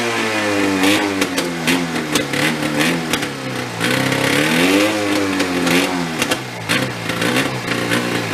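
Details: Golf cart with a Yamaha 440 snowmobile engine, revived after sitting, no air cleaner: runs rough with wandering sagging pitch; stays running only on choke and won't rev, seemingly running rich.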